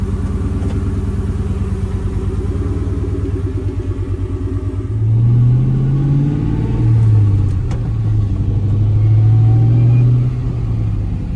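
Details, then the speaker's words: Ford Mustang GT (New Edge) driving with low engine drone and road rumble after a loose part in the door's window regulator track was pushed back in; the horrendous door rattle is gone. "But let's go for a drive and you can hear the noise is gone."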